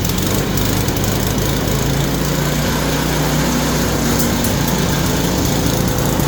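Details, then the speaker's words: Yard Machine snowblower after repair, initially locked up, flywheel teeth suspected ground down, converted to pull start and adjusted; small single-cylinder engine holds a fast, steady buzz with no surging or sputter, running all right, untested in snow. "That's all right, ain't it? Well, the real test is to see how she does in the snow, but we don't got no snow yet, so. But yeah, it's all right."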